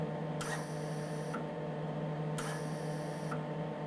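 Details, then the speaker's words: MIG welder shielding gas set to about 15 with the trigger pulled: two steady one-second hisses over a low hum, even gas flow, regulator set right. "so we're about a 15 there when i'm actually on the trigger which is good that's where we wanted to be"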